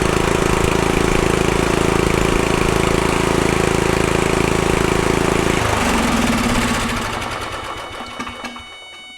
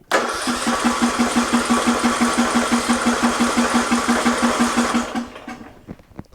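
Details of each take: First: Murray Select riding mower with 13.5 hp Briggs & Stratton: steady even run, then cuts cleanly when the coil wire is grounded; runs well, shutoff fault suspected in the key or ignition switch. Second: Murray Select riding mower, 13.5 hp Briggs & Stratton, after new starter solenoid: steady cranking about three compressions a second for five seconds, never fires; later runs with choke held shut, surging idle, carburetor being replaced.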